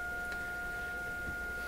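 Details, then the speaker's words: Florida AM/FM/SW tube radio on low voltage with a test tone: a steady, pure high tone at low volume with no buzz, rasp or crackle. The audio output is clean with no distortion. "so I wouldn't be surprised if you get Distortion right now but I don't hear any so let's sweep the frequencies up and down just to see you know it sounds really good actually I don't hear any problem"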